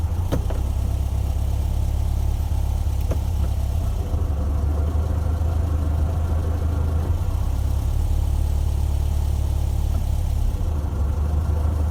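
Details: 1968 VW Beetle semi-automatic Autostick, air-cooled engine running low and steady near idle, with an uneven rumbling drone from the noisy transaxle.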